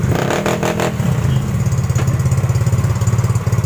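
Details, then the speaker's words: Yamaha Mio GT automatic scooter after idle adjustment: even low exhaust pulses about three and a half per second, loud split exhaust, rear wheel not turning, idle no longer high; normal idle. "Guys lihat rodanya enggak perputaran guys terbukti langsamnya tidak naik guys bangsa menurun"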